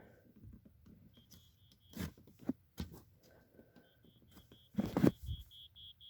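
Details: 1987 Wake and Warn 2 smoke detector with a rusted battery compartment: faint, thin high chirps at about four a second during the test-button check; the sounder is far too weak, unlike the second unit.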